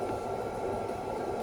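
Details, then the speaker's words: After melting the ice off a frosted refrigerator ice maker, the previously stopped freezer fan spins freely again with a steady, even whir and low airy hum, no scraping or ticking; normal fan running. "so now it's I can hear the the the noise so it's like working now"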